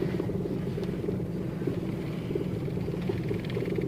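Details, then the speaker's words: Toyota Vitz with warning light and code P0353 (ignition coil C primary/secondary circuit) idles unevenly with a lumpy, stumbling thump; heavy misfire vibrating the whole car and dashboard. "और यह गाड़ी में आप आवाज भी सुन सकते हैं काफी गाड़ी में मिसिंग है य आप यहां से आईडिया लगा सकते हैं बहुत ज्यादा गाड़ी में मिसिंग है"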